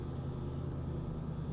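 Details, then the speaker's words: Salvage car at auction started after key fob trouble, TPMS, check engine and ABS lights on, parking brake released; steady, even low idle rumble with no knocks, ticks or misses, runs great, normal idle. "And that's it. That is it. She runs great, guys."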